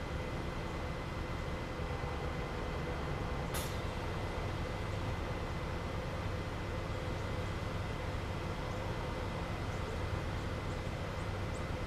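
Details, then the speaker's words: 2005 Porsche Cayenne Turbo air suspension at its lowest ride-height setting: low, even buzzing hum from the compressor with one brief hiss, normal operation. "So that was the operation of the uh air suspension and you can hear the compressor going. It's [Music] running. Kind of hear that buzzing."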